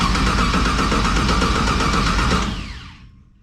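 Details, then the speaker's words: LS1-swapped car on a Holley EFI system, no-start troubleshooting: even starter cranking that never catches; voltage drops below 8 V while cranking, and the owner suspects a weak battery. "Doesn't even quite hit 8 volts. So, is that my issue? Is my battery just too weak?"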